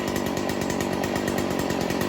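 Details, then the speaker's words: Stihl FS 40c trimmer two-stroke with the low-speed screw turned too far left (too rich): an uneven, blubbery idle that loads up and wants to quit, with smoke from too much fuel. The fix is turning the screw back in. "okay listen to the idol you're right it wants to quit so turn it back the other way tighten it up see the smoke coming out that's how you know it's too rich getting too much fuel"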